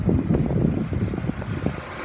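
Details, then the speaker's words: 2008 Ford Escape 2.3L four-cylinder, automatic, warm after running about an hour: steady even low hum, no knocks or misses, revs up nicely; normal idle. "idle smooth reds up nice the automatic transmission engages and the ac is cold"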